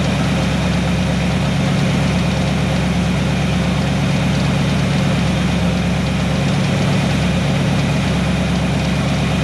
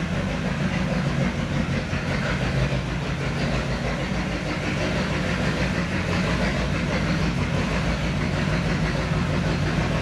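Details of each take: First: 1970 Chevy C10 pickup, 327 small block, HEI distributor, manual choke, bad ignition timing: started cold and warming up, steady even low V8 rumble at idle with no misses or knocks. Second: 1970 Chevy C10 pickup, 327 small block, HEI distributor, hard starting: deep, uneven V8 rumble with a lumpy, unsteady beat, stinky and noisy; rough running from badly set ignition timing.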